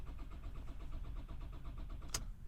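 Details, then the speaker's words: 2003 Ford Galaxy 1.9 TDI (engine code AUY) cranks steadily at about ten compression beats a second but never fires. The glow plug light flashes, cleared DTCs return immediately, and the immobilizer keeps the engine control module disabled; there are signs of ether use. "we're actually getting rpm now i see clear dtc's so engine control module's still disabled"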